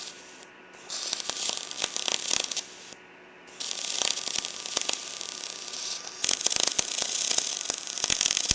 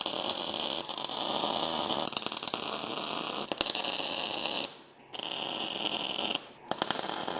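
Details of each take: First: R Tech 181 digital MIG welder on mild steel: crackling, popping arc settles to a smoother even sizzle after voltage turned down; weld still looks porous. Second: Lincoln Electric SpeedTech 215C MIG welder tack-welding weldable table brackets and jigs into a cube: short crackling bursts, each cut off cleanly by silent gaps; steady, normal MIG spot/tack welds.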